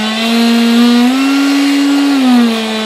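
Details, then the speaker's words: Durafly DH 100 Vampire MK 6 electric ducted fan on a fully charged 4S 3300 battery, run up from throttle cut: steady mid-pitched whine swelling at low throttle, resonant around 19% throttle; fan rotor badly out of balance, causing vibration. "and just so you know guys that vibration it's from the fan"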